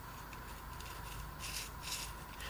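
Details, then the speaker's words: Jeep steering shaft carrier bearing turned by hand: dry, scratchy rasp in short strokes from a badly dry, brittle, ungreased needle bearing. "because you can hear how badly it is dry so i'm just curious if i can't get that bearing out of there"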